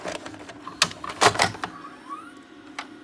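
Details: JVC DR-MV79B DVD recorder/VCR combo, after repair of a fault where it always thought a tape was inserted: the tape clicks home, then mechanical clacks and a short rising motor whir as the cassette threads in cleanly, so loading works.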